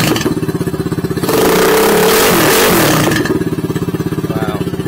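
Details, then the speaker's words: Condor 150 motorcycle with catalytic converter removed and replacement pipe welded in; steady single-cylinder thump at idle, sharp throttle blip, back to even idle; a lot louder open exhaust. "definitely louder"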